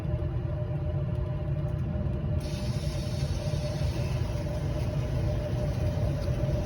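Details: Aprilaire 568 whole-house humidifier after replacing the bad 24 V transformer, which now reads 27 volts, and securing a loose wire. Low, steady furnace blower rumble with a faint constant hum and a soft hiss as water starts flowing; normal running.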